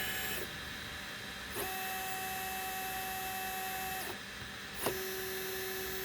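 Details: Easythreed K1 3D printer (4x4x4 in build area, about six months old) after upgrading the X and Y stepper motors to cure a clicking noise, jogged manually from Cura at 100: clean, steady stepper tones shifting pitch with direction changes, no grinding or skipping; normal stepper motion.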